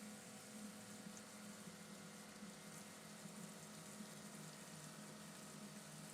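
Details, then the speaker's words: Healthy electric fuel pump on a carbureted LS-swapped Fairmont, running to flush the fuel lines before first fire-up; steady whir with even hum and fluid rushing behind it, pump runs smoothly and sounds healthy. "But fuel pump sounds good. Sounds healthy."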